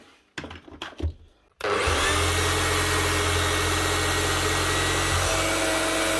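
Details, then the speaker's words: Power tool motor test after replacing tacho, original brushes kept: clicks then jumps straight to a high steady whine flat out with slight sparking from the speed; speed control not working, suspected controller problem; runs at full speed only. "right there is a little bit of a spark out of that but it's because it's actually running so fast we Taco has been replaced but still speed control is not working so there's a controller problem as well"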